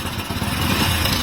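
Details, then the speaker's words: Hero Fashion Pro 100cc motorcycle, hot engine idling; timing chain set replaced a month earlier but one part left unchanged; fast, loose metallic chatter over the exhaust beat that appears when the engine gets hot; timing chain rattle. "Engine से बहुत ही झनझनाहट की आवाज आ रही थी तो mechanic ने सब कुछ चेंज किया है बट एक चीज इसमें चेंज नहीं किया इसी के कारण से आवाज आ रही है"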